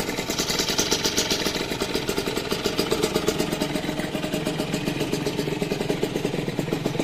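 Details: Rieju RV motorcycle, first start after restoration with engine rebuilt: quick, even popping idle at a steady rate with no knocks or misses; normal idle.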